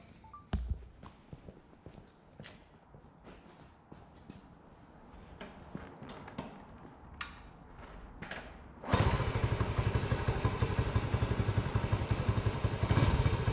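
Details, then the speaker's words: Cold start of a 1970 Honda CT90 Trail 90 with about 3,700 miles, exhaust still cold to the touch: scattered thumps and handling noises, then it fires at once and settles into an even, steady idle. "And my hand here on the exhaust shows that this is cold, hasn't been started yet. Wouldn't be able to do this if it had. So let's start it up."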